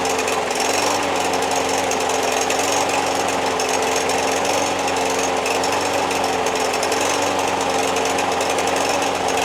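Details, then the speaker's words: Free MTD Yard Machines push mower, Briggs 550EX Ready Start auto-choke engine with plastic carburetor: starts after 3 pulls but surges and runs rough with an uneven, hunting beat. Owner suspects a clogged main jet; dirty carburetor, needs a carb clean. "Starts right up after 3 pulls. You could tell it runs kind of rough. Sounds like to me that it just needs a carb clean."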